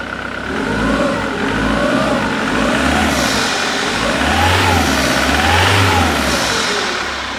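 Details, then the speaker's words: 2008 Jaguar X-Type 2.0 diesel after the corroded fuse box with a pulled-out IMV supply wire was replaced: revs up and down cleanly with no stumble; normal running, rail pressure around 260 bar instead of 1800. "as you can see rail pressure is normal now so around about the 260 bar mark and it doesn't get anywhere near that uh 1800 bar that was idling have before"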